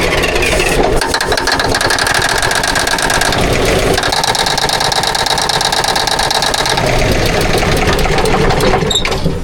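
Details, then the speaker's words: 1981 Kenworth diesel truck just started on ether after topping up diesel to purge air; loud, harsh, uneven clatter with a rough knocky idle; owner thinks it almost sounds like main bearings, unconfirmed. "Boy, that engine doesn't sound good. Almost sounds like bearings. main bearings."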